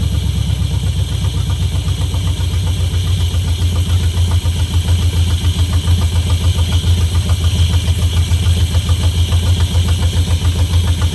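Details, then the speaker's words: 1971 Camaro Z/28 barn find V8, starting right up and given a little gas: deep, steady, even burble with a regular loping pulse and no rattles; normal idle. "We'll get her fired up, let it run for a little bit, and starts right up."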